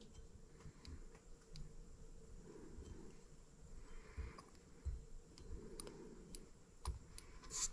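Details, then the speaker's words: Microcosm R18 model of the 1886 Benz engine, oiled and turned by hand for an ignition check: sharp dry snaps and irregular ticks each turn; spark firing just before top dead center. "You guys hear it? It appears that we're firing just before top dead center."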